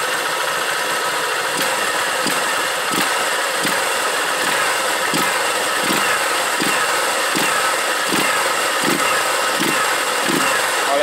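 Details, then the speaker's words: Honda Titan 150 single-cylinder motorcycle after carburettor jet reduced to 115 and engine repairs for misfiring and knocking: revs up cleanly and smoothly with no knocking or tapping, previous knock resolved; healthy. "agora deu pra gente sentir aquele momento que o motor dá aquela apitada aí é o é sinal que ele tá tá girando bem"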